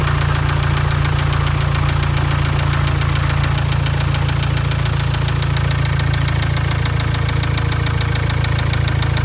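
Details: Jaguar Land Rover Ingenium engine with excessive blowby: hard, regular knock about four per second through a heavy idle rumble; deep bottom-end rod knock, likely a spun bearing.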